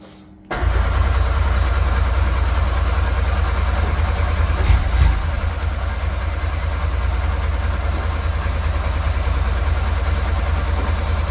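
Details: Metro GTI race car on standalone management, with a battery wired straight to the starter and a little throttle: deep, ragged rumble at about three beats a second that struggles to catch cleanly; hard starting, intermittent firing.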